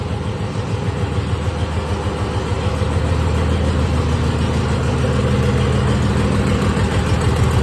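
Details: 1996 Dodge 2500 diesel, stock HX35 turbo and rebuilt transmission, nearing operating temperature: even, regular clatter with steady low thump, no misses; healthy idle, good compression on all cylinders.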